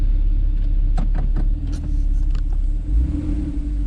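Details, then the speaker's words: Porsche 911 Carrera 4S 997 Gen 2, 3.8 flat-six DFI, 6-speed manual, freshly serviced; idling with the switchable PSE sports exhaust on, a deep, steady, throaty rumble with an even beat and no misses or knocks. "So it makes it sound quite a bit throaty. That's with it on."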